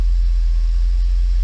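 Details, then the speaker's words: Mercedes 500E W124 with replacement used fuel pump fitted, leaks fixed, idle heard at the exhaust: steady, even low burble with no stumbles or misfires; healthy idle. "okay now exhaust run smooth as you can hear no misfires"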